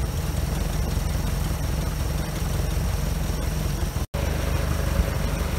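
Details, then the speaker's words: OMC 140hp 2.5L stern-drive inboard, fuel pump swapped and run on gravity feed, started before winterizing: steady, even low rumble at idle with no knocks or misses; runs smoothly and sounds healthy. "So let's fire it up and see what happens. These are fired right up. That's a good sign."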